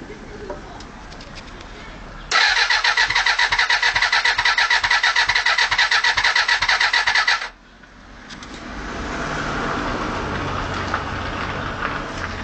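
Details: Suzuki Bandit 400 after a new starter motor was fitted: starter spins the engine in an even, fast chug for about five seconds but it never fires; cranks, no start.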